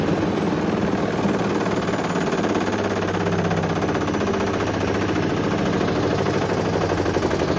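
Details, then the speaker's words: Hoover Link HL1682D3 washing machine during spin: a hard, fast, extremely loud rattle drowns everything out, steady as the drum spins, the whole machine rattling; it still works despite its poor condition. "I think we get the message it works that's Extremely Loud honestly I was he's quite insane um I could barely hear the mic I could just hear the whole machine just rattling"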